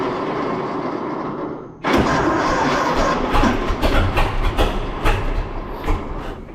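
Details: 1926 Seagrave city service ladder truck, 1013 cu in "F" six-cylinder, first start in 10+ years after long sitting, fuel fed to carburetor; catches and sputters in ragged bursts, never settling, flooded with too much gas; owner also suspects a valve stuck open.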